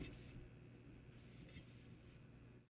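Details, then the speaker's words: Anyone router after replacing its faulty growling cooling fan, microphone right next to the router at power-up; barely a faint low hum with no growl or rattle, the new fan running quietly as it should. "Not a thing. That's what we want to hear. Our green lights are flashing just like they're supposed to. No more growling, no more marbles."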